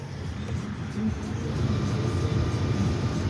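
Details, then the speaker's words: Car's newly replaced heater blower motor tested in sub-zero North Dakota winter; steady low whirring rush with no squeal or ticking, sounds better than the old one; normal blower motor operation. "That sounds better than the old one, huh?"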